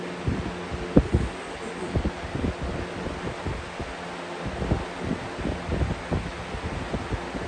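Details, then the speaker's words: Air King 9723 box fan with the original 3732 blade and a repaired motor amperage/wiring, on low speed: a soft, steady hum with an even whoosh. It is much quieter than the other fan fitted with the Weathershield blade. "so now this is a much quieter low speed whereas with the other one that i had which i still have is over there it just has the weathershell blade in it"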